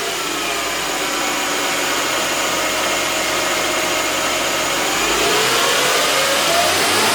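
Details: 2006 Mercedes E350 4matic M272 V6 after spark plug, coil, air filter and airbox seal maintenance: smooth even idle with steady mid-pitched hum, revs climbing cleanly near the end; no misfire or knock, normal idle and rev.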